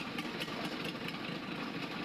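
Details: Freshly overhauled 4TNE98 diesel engine, test-run on a stand to check for leaks, with the valve cover off: an even, steady idle with light rhythmic valve clatter and no knocks or misses, which sounds healthy.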